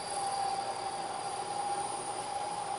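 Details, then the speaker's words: Lathe turning a long, thin, unsupported part. A harsh squeal of about 750 Hz sounds over gritty cutting noise. The part deflects from cutting forces, rides onto the tool and off, and vibrates, leaving an irregular finish. The fix starts by machining a center into the end. "can hear the noise the chatter and if you look closely you can see a very irregular surface finish what's happening is through the deflection of the part the part rises up a little bit rides up onto the tool and then back off the tool and vibrates"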